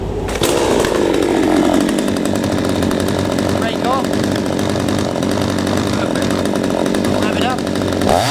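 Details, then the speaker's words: P1PE P6220C two-stroke chainsaw, warm, chain brake on, no load, after carburettor adjustment: even idle at the correct speed, then clean climb to maximum revs with slight smoke, slightly rich on high speed as intended; runs right. "the idle speed is correct and there was a slight Abunda smoking when I was revving into high speed that suggests slightly rich"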